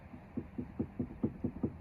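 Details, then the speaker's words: 2013 BMW 328i xDrive F30, about 100,000 miles, electric ThyssenKrupp steering rack: steady dull clunks about five a second while turning the wheel, also clunks over curbs, felt through floor; worn plastic rack damper, fixed with damper kit. "And what I first noticed is when I'd back out of the driveway over the curb, it would clunk. So I thought it was a suspension issue. But listen to this."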